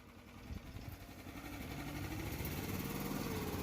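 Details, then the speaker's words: Betstco towable backhoe, weak boom lift: small petrol engine chugs steadily, then loads up as the hydraulics lift the boom; a loose fitting was just retightened after a leak, and the boom is still touchy. Owner suspects hydraulic pump or something inside the control switch. "So we're gonna give it another go real quick and see how the boom goes, but compared to what it was, woo, still a little touchy."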